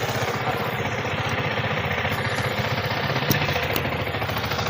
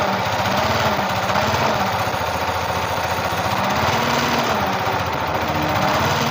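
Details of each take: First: Yamaha R15 V3 with a grinding, bearing-like engine noise linked to the ignition coil connection; with the coil wire disconnected it idles with an even, quick single-cylinder patter and no grinding growl. Normal idle. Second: Yamaha R15 V3 at idle: coarse humming, grinding growl under the exhaust beat that sounds like a crankshaft or camshaft bearing but is caused by a shorted stator coil.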